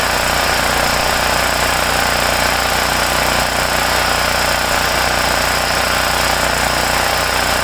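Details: Homelite generator, 389cc Honda engine, after repairing no-start from poor fuel flow and dirty carburetor (ripped carb base gasket not replaced); steady even drone at constant speed, no surging, hunting or misfires: running healthy.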